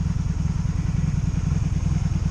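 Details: 2002 Honda Magna VF750C V4 during a rebuild, warmed up and idling in neutral. An even, low thumping pulse with no stumbles or clatter. Previously it died when put in gear. Normal idle.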